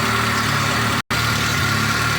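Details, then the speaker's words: VAZ 2.0-litre engine, cold idle on 5w50 oil, oil pressure 3.2 bar with gauge fitted: smooth, even low hum with no knocks or ticks; runs perfectly while cold, normal. "Но прямо сейчас, пока двигатель холодный , он работает идеально."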